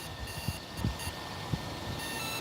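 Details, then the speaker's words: IL Goblin RAW 700 helicopter on the field before its last flight of the day: short electronic beeps over outdoor rustle and thumps as the ESC initializes once the second battery is plugged in, normal startup tones. "Can you guys actually hear the beeping? That was That was the ESC. pretty much initializing and making sure that everything's uh all good to go."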